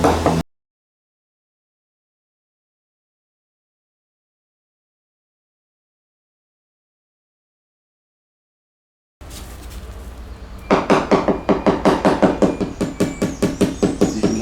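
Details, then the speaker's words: Leopard 45 catamaran hull tap test at a previously found large dry area: steady tapping two or three a second rings hollow and buzzy; dry laminate void, delamination. "we've shown you this point which I didn't put the tape on for this is the uh previously filmed big big dry area"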